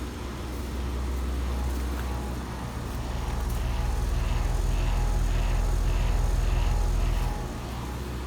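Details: Premium ICP heat pump/AC condenser with a compressor sound jacket, after a service call: a steady low hum with an even fan whoosh and no rattles, clicks or squeals; the condenser is running quietly and normally.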